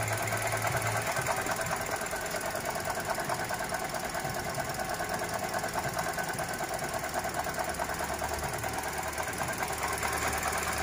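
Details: Toyota Grand New Avanza 1NR-VE petrol engine idling with a constant rough, gravelly whirr, traced with a stethoscope to the alternator, possibly its shaft; the water pump was also checked.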